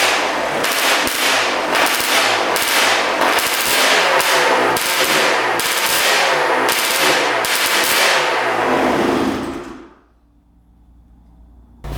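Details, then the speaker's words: 1991 Honda CR250 frame with 1995 CR250 two-stroke engine, three mechanics failed to fix: sharp crackling revs after choke start, then sudden stall; cause unknown, owner suspects losing spark or fuel starvation. "all right she fired up but then died I don't know why I died right there but sound pretty good"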